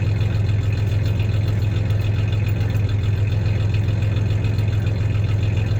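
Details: 1993 Ford Ranger 3.0 V6 idling with a little rev: low idle pulse about three and a half beats a second, slightly uneven with occasional stumble; slight misfire; clanking is bed tie-downs, not the misfire.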